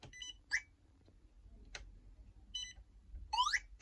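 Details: AliExpress 40A dual-motor ESC fitted in the combat robot Air Maxx, with both motors connected and the transmitter switched off: short high chirps and beeps from the motors between quiet gaps; ESC signal-loss warning beeps.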